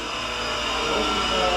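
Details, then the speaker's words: Used 220 V electric motor test-run with a breaker as switch: steady, dense whirring hum with a rough, gritty edge from a worn bearing. It winds down easily, so the bearing is not totally gone; it is greasable. "Yeah, man. You hear that bearing? I do. I hear good. Look at this. It's greasable. Yeah. But it's winding down nice and easy, so it's not totally cooked."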